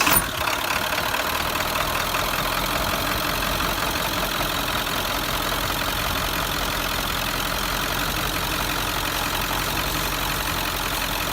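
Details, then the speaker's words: 1997 Ford F350 7.3L turbo diesel, start on old 15W-40 oil before oil change; quick crank then loud even diesel clatter at steady idle, no misses or knocks, loudness normal for diesel; normal idle. "the first thing in the morning, this truck's really loud, which is normal for a diesel motor."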